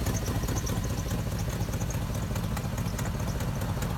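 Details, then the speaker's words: 2004 Chevrolet Silverado dump truck, jump-started on a weak battery: steady idle with a fast, uneven ticking puff over the rumble; exhaust manifold leak caused by a broken front manifold bolt. "I've been sitting around, but as you can hear, it does have an exhaust leak on the manifold. Right here, that front bolt is broke, so that's where you hear the exhaust from."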